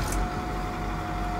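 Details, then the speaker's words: 2010 Workhorse Utilimaster W62 step van, diesel, 104,425 miles, emergency brake on; starts right up and settles into a steady, even low diesel rumble with no knocks or misses, sounding great: normal running. "you can hear it's fires right up i've got the emergency brake on that's why the brake lights on but fires right up sounds great"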